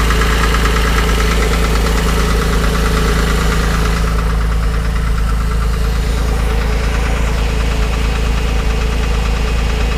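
Steady idle with a dull, regular knock riding under the engine note, roughly twice a second; a knock whose source needs tracking down.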